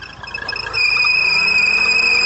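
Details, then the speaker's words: Chery Tiggo idling, noise also occurs cold, A/C switched on: sharp steady high chirp/squeal rises over quiet idle; accessory belt noise caused by worn outer rubber in harmonic balancer crank pulley, not the Poly-V belt or tensioners. "barulho Tá vendo esse barulho galera normalmente pessoal troca a correia Poly V achando que o problema é a correia Poly V Troca os tensionadores mas eu quero te falar que o problema tá aqui ó Nessa polia a polia harmônica desse carro"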